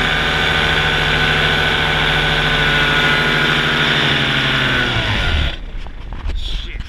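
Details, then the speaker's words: Used Blackhawk 125 paramotor two-stroke in flight buzzes at steady revs, then sags and dies within half a second leaving only wind; engine cut-out, owner suspects carburetor issue, kill button probably not hit. "I got an engine out. Yeah, I'm good here."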